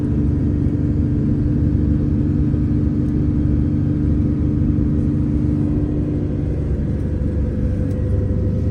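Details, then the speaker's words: MCI 9 coach at road speed, after wheel bearing, king pin and air bag repairs, testing the rear end after metal was found in its oil: even low rumble and steady drone, no knocking, grinding or clunks; power steering slightly whiny; normal running. "okay how quiet it is up here very quiet"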